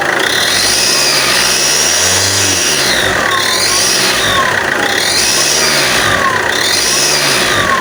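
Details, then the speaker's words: Alfa Romeo 159 1.9 Mjet diesel, engine bay; sharp puffing hiss rising with revs when accelerating, exhaust gas passing through the layers of the manifold gasket, manifold warped; fix is removing manifold with integrated turbo, machining it, new gasket, studs and nuts. "the noise that you hear on the beginning of the video is the gas is passing through the layers of the gasket"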